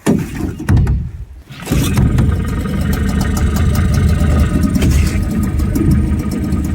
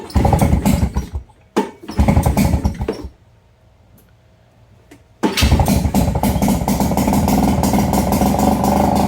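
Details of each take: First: Nissan 5hp two-stroke outboard on a jon boat, started at the lake after carb cleaning: it catches quickly and settles into a steady, even buzzing idle with no misses. Normal idle; it never died during the outing. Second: Nissan 5hp two-stroke outboard from a Marketplace jon boat, first start after carb cleaning: a few pulls, then it settles into a fast buzzy idle, slightly uneven while cold. Owner thinks it needs warm-up or tuning.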